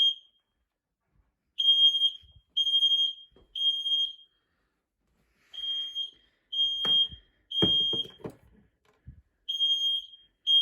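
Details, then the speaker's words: Home fire alarm system test, detector triggered with deodorant spray: loud high-pitched beeps in half-second bursts repeating steadily; smoke alarm triggering and sounding as it should, normal. "I have some deodorant. You're not meant to use deodorant when you're testing fire alarms, but so I've got to hand, so yeah, I'm gonna have to be doing it."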